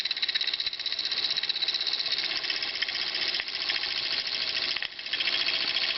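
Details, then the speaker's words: Jensen Model 25 electric model steam engine running after cylinder preheat, throttle open; light, quick hissing chuffs in a steady run, no knocking or binding; normal running. "To reverse it, you just flip this lever and it will automatically go back the other way."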